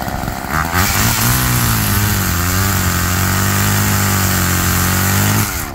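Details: Roadside-found Homelite chainsaw after carburetor rework, cold-started after sitting, cutting wood in wind: revs up, holds a strong steady note through the cut, drops back cleanly. Chain oiling well; owner suspects it runs a little rich, bogging in larger logs.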